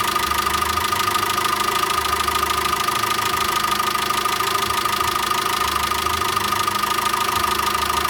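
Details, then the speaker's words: VW Caddy 2.0 BSX methane-fuelled engine, just reassembled with timing belt replaced after misfire complaint, freshly started: smooth even idle with steady whirr and no lifter tapping; normal idle. "Ну, давайте заведем, посмотрим, что вышло. Вроде как все хорошо."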